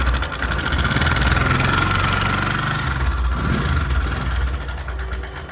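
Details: Bajaj Discover 100 BS3 motorcycle, before repair: uneven idle with light, fast metallic chatter over the engine beat; stretched timing chain the tensioner can't take up, fixed by replacing the chain.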